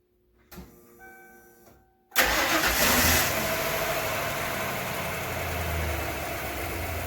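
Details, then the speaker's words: 1996 Ford 5.0 V8 from a Bronco, being swapped into a 1978 Ford, run in shop with exhaust hose: starter whirs, engine catches and settles into a steady, even idle with no knocks or misses; runs pretty good, healthy. "Motor runs pretty good. Now we got it running."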